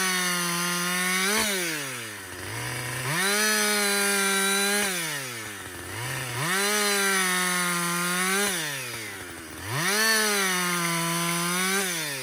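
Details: Husqvarna 562XP 60cc chainsaw after dealer software reflash for dying when hot, bucking windfall; clean two-stroke wail dips into each cut every few seconds and snaps back to full revs. Healthy under load.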